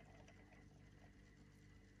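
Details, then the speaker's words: Technics CD player with a replacement SL-P999 laser pickup, cover off; quiet whirring with light scattered ticking as the disc speeds up and slows during track seeking, smoother than the owner's other units: normal spindle and pickup noise. "Makes a little bit of noise, but once you put the cover, all that noise. It's actually much smoother than the other ones that I have."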